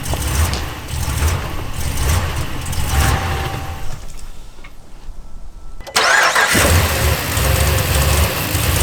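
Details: Dodge Ram 1500 cold morning start: engine fires, runs roughly, sags and dies after about four seconds, then is recranked; won't hold a cold idle, fine after first idle. Pedal sensor, air temp sensor and air filter already addressed, throttle body cleaned.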